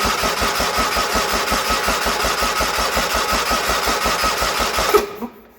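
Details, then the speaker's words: Original 1980 John Deere 317, not run in about 3 years, cranking on ether: steady starter cranking about three beats a second, never firing; plugs spark well, so fuel delivery issue suspected; cranks but will not start. "I smelled ether all over the place it should have fired on that so I think our next step is going to have to be some plugs and perhaps a coil"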